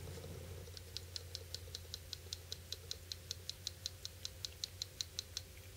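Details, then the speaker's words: HEST/f 2.0 folding knife after light use, opened gently: rapid tiny crisp metallic clicks from a minute amount of blade play at the lock engagement, not present when new; slight pressure on the lock bar stops it. "That tiny little clicking sound? That is from a minute amount of blade play."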